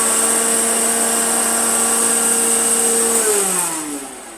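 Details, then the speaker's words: Hoover Dirtsearcher Junior vintage vacuum cleaner before repair: strong buzzy motor whine with a shaky tone, vibrating badly, pitch falling on switch-off. Cause was a bent armature. Motor vibration from bent armature. "it's vibrating like hell sounds a bit interesting [Music] because that's awful that turned out to be the whole armature the whole embouchure was bent"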